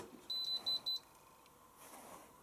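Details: Washer bought at an eBay auction: three short, high-pitched electronic beeps in quick succession, then a quiet room, as it enters fault-code check mode. It then displays fault code 83, which is cleared.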